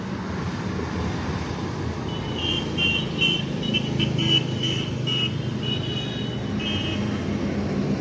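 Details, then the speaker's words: Voltas AC (R22) outdoor unit after big refrigerant leak was found, brazed and refitted, then gas charged; suction/discharge first iced, settled after adding a little gas. Steady low compressor hum, even fan whoosh, street traffic; runs smoothly, normal. "শেষ পর্যন্ত gas charge করে দিলাম। এই যে section ডিসচার্জে প্রথমে বরফ ধরেছিল, তারপর একটু গ্যাস দিয়ে দেওয়াতে কমপ্লিট। মেশিন সুন্দরভাবে সাউন্ড শুনতে পাচ্ছেন, হয়ে গেছে।"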